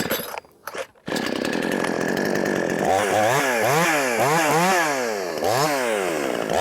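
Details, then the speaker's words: Wemars 6220 62cc chainsaw (50cc chassis) on its shakedown run after leaning the very rich factory carburettor tune; loud, crisp two-stroke revs rising and falling cleanly without bogging; healthy. "It sounds good. It also sounds loud. And I guess what I mean by it sounds good, it sounds like it's going to be powerful. Rev's good."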